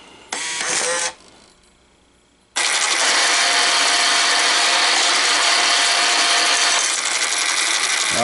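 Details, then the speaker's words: American Changer first-generation green stripe coin hopper, on jumpers emptying the left side; loud rough grinding whir with steady hum from the worn gearbox; fix is gear change and regreasing with synthetic clear grease. "That's where our problem is in the gearbox. That is uh that's not the loudest I've heard, but it's close to crazy loud. Nobody wants to listen to that."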